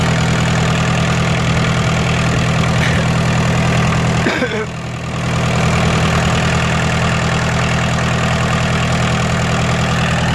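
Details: Kubota L3202DT four-wheel-drive diesel tractor, used, engine never opened up; steady, even diesel clatter at constant idle speed with no misses or knocks; normal idle.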